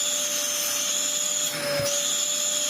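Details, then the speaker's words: Old daily-use Dyson DC04 vacuum before refurb, with a long-overdue filter: a steady high-pitched whistle over the motor roar from a dirt-clogged release valve; brush roll is fine, base plate broken. "Sly the release valve is full of dirt and making a horrible whistling sound yeah under here brush roll is good base plate is broken"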